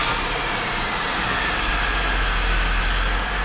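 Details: Holden VY Calais skid car (Ecotec) just after an engine swap, first start after priming oil pressure, on a hoist: loud, steady idle with an even low rumble and no knocks or misses; the engine runs fine.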